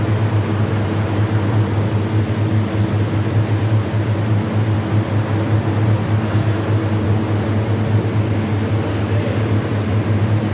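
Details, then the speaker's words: Condensing unit compressor and condenser fan running after troubleshooting: steady, even low hum with no knocking or rattling; normal running. "Ayon ah mga kaibigan ah bale umandar na itong compressor na to condensing unit inandar na namin ah naka-discover ang langis yan"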